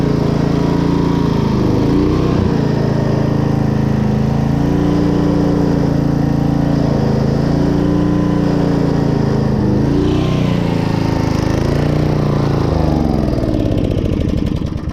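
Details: 1995 Briggs and Stratton generator after carburetor cleaning, started on choke to power a small air compressor: small single-cylinder engine surging slightly up and down before settling into a clean, healthy run.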